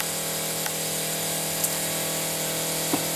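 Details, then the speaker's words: 1943 Higgins Boat landing craft with a Detroit 6-71 diesel, rebuilt valves and injectors after 30 years unworked, seawater valve open: the electric fuel booster pump is engaged before start and gives a smooth, even hum with no rattle or surging, running normally. "And then we're going to engage the booster pump for the fuel. We can see that on the gauge down here."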